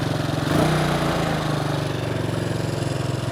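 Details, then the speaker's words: Bombardier Traxter 500 ATV single-cylinder engine after a no-cost carburetor clean and rebuild, cooled down, started on the electric starter with no starting fluid: it catches within a second and settles to a steady, even idle with no misfire; normal electric start, repair a success. "right guys I'm gonna call this a success one of my better successes as far as ATVs and stuff like that it's concerned"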